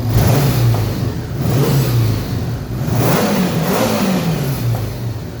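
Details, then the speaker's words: 1984 Honda Goldwing standard, 12,000 miles, after restoration with restored carburetors synchronized, new plugs, wires, caps and ignition work: smooth flat-four note climbs and falls cleanly with each throttle blip, no misses or knocks; normal revving. "it sounds really good i can't wait to ride this bike i think it's gonna run and you're gonna run really good so looking forward to it"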